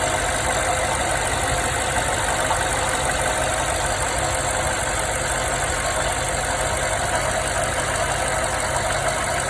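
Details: 2016 BMW 550i petrol V8, 58,000 miles, no codes, drives perfectly, idling steadily with a faint uneven knock through the engine note; owner unsure of cause.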